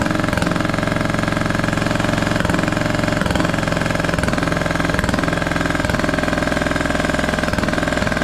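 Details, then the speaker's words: Scrapyard Craftsman T1200 riding mower, first start on old gas with a substitute spark plug: loud lumpy chugging with uneven pulses and gurgling edge, compression seeming very high; owner may check valves. "good gravy this engine sounds funky I've never heard one of these run before it has like a gurgly sound to it that is crazy crazy compression just seems so high on this thing may end up just checking the valves on this too"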